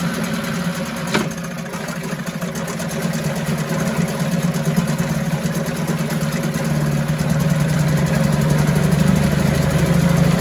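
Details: 1974 US-made Mercury 4 hp single-cylinder two-stroke outboard, revived after long storage, running after reassembly: steady buzz for ten seconds, picking up slightly toward the end, no misses or knocks; normal running.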